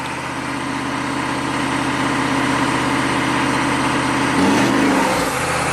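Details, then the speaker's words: 1995 Chevy K3500 6.5 turbo diesel, 160,000 miles, steady idle clatter; slight throttle blip sends revs to 2,000 then toward redline, slow to return; runaway throttle, new pedal and pump driver module didn't fix it. "As soon as I touch the accelerator, and then it just completely redlines."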